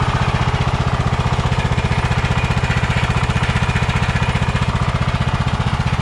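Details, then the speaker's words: Kohler Courage 20 hp on a Craftsman DYT4000, fuel line filled down to the carburetor: steady, even low thump of about three beats a second with no misses or surging, a smooth runner. Normal idle. "awesome man that's a smooth runner too"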